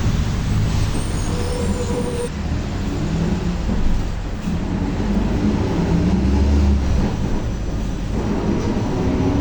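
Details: Torino S bus, Volkswagen 17-230 OD Euro V chassis, while driving: a deep steady roar with a droning tone riding over the engine, from a worn rear differential that is howling loudly.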